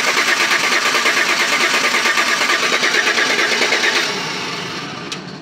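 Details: 2012 Chevy Tahoe police pursuit, flex fuel, cranked by jumping the starter relay: starter turns the engine at about three even beats a second for four seconds, never fires; crank no start, no fuel, ECM lost communication.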